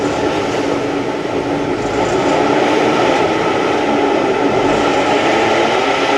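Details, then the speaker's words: Ford Raptor on a lift: a steady droning hum with a faint whine through it, amplified by the hollow drive shaft, from a worn differential pinion bearing. The dealer had blamed the cam phasers. "So we can definitely hear it from right here. That's why when we're in there, we'll check out everything else. But yeah, it uses the hollow drive shaft almost as a noise multiplier."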